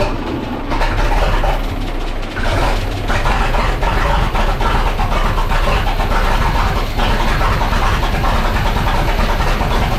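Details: 1912 Seagrave fire engine, huge Wisconsin T-head engine, first run in years after replacing failed condenser, no coolant so run briefly: loud steady low rumble with even clatter on top, no misses; normal running.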